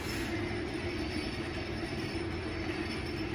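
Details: Squealing Kone high-rise elevator at a hotel in Indianapolis, recorded riding inside the car: steady rushing ride noise with a thin squeal held throughout travel; counterweight suspected as the source, not confirmed.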